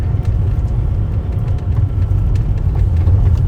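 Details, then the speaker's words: Infiniti G35 cruising after installing a welded rear differential and new axles: steady low road rumble, no whine or clunk from the rear, where the old diff was audible at this speed; now only brakes and shocks heard. "Even right now, this speed, I'd hear my diff. Now all Nice I hear brakes. Now I'll hear my brakes and my shocks."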